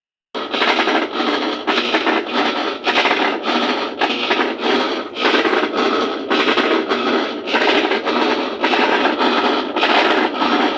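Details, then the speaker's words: Colormaq 12 kg washing machine during agitation, before repair: loud harsh scraping grind pulsing with each agitator stroke; worn transmission gear, bearing and seal, later repaired. "vocês perceberam aí no no início do vídeo o barulho que tava na mecânica fiz o trabalho de mecânica engrenagem rolamento e Redentor tava no barulho absurdo"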